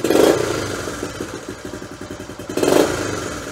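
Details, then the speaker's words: 50-year-old, all-original Honda CT Trail 90 at a warm idle with no choke and air cleaner fitted, carb mixture tuned: steady single-cylinder idle pulses, then two quick revs that pick up cleanly without stumble or miss; clean off-idle throttle response. "see how it just picks right up that's how you know that that mixture is perfect"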